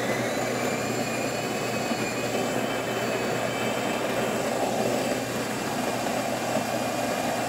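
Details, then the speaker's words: Jura Impressa F9 espresso machine after encoder replacement for error 8 (brew unit stuck): grinder gives a steady, even grinding whir with a faint high whine, no knocks or stalls, feeding coffee to the brew unit. "as you can hear the grinder is definitely grinding coffee going into the bridge unit"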